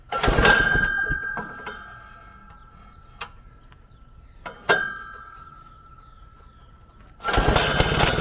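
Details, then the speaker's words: Frazer tiller after installing and timing magneto ignition, first run in over 30 years, carburetor linkage still unrepaired: small single barks to life in short even bursts, steady firing, no misses; timing set right. "what a he Runner what a unit that sounds exactly like the videos I got her timed right thanks to the instructions"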